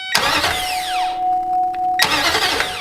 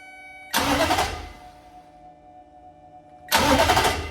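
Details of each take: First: 2005 Nissan Titan after replacing a starter with a bad solenoid, tested by powering the starter directly with no fuel: two quick, strong cranking bursts with a clean, steady whir. The new starter spins the engine briskly and sounds healthy. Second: 2005 Nissan Titan starter, key off, powered by 12 V hot shot from a test probe: three strong cranking bursts then only brief weak clicks; starter hitting a dead spot, bad starter solenoid, starter replaced.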